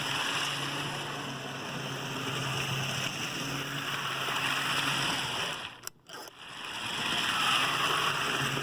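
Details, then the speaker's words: Rivarossi HO scale Big Boy 4005 4-8-8-4 steam locomotive, about 1975, with matching tender, test run on a simple circle after repair: steady, even whirring drive with no knocks or catches; runs smoothly and healthy. "sounds good all right big boy four thousand five matching tender seems to be in real nice shape enjoy"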